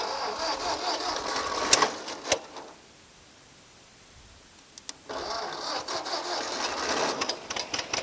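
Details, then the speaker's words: Old Ford tractor, sitting over ten years with a stuck clutch, started via the coil: rough cranking catches, brief pause, then a steady run; starts easily and runs normally. "tell you what it starts up pretty easy"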